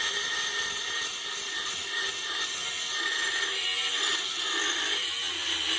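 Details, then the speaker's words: Banggood 220V 72W micro rotary tool at maximum speed with an oversized 75 mm cutting disk: steady high whine holding speed through the cut without bogging; normal cutting under load through reasonably thick stock, motor stayed cold afterward. "well actually cut through it I'm surprised it actually did that's not spinning you know we near the register the holder is it actually through this it's reasonably thick still that's pretty impressive really"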